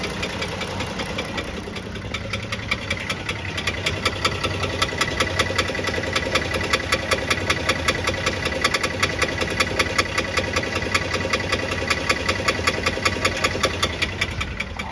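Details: Chrysler Pentastar V6 idling with a sharp, steady knock, roughly two and a half taps a second, over the engine note; several second opinions suggest a piston wrist pin, not confirmed.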